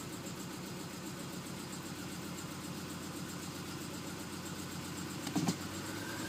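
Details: 2004 Subaru Forester XS at about 110,000 miles: a lumpy, shaky cold-start idle that worsened over time. It's a misfire from the #3 spark plug, caused by oil entering the plug well, and was fixed by replacing the valve cover gaskets and spark plug well seals.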